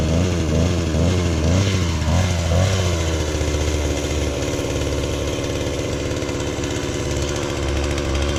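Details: Mac 3200 two-stroke chainsaw after a new muffler, a clutch spacer fix and a kill switch repair: revs up, then settles to a steady, even burble with no misses or rattles, running normally.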